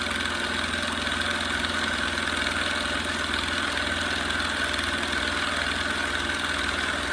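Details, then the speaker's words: Small twin-piston compressor test with unknown pressure-switch setting: steady chatter at three to four strokes a second, labouring as it slowly builds pressure. Wire gets very hot; pressure bleeds off, so it likely needs a check valve. "we're having a hard time now [Applause] we're not quite the 30 yet [Applause] it's just hanging out right there at about 28 PSI"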